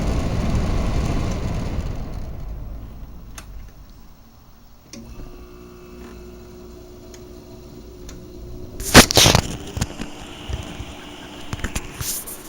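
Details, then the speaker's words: GE 5050 BTU window air conditioner made May 2018 (R410A, 9.17 oz), installed, compressor starting: fan rush fades, then a steady low compressor hum settles in with a faint tone, with later knocks from handling. The compressor runs normally. "I'm going to start the compressor. Just put it in here so you can hear it."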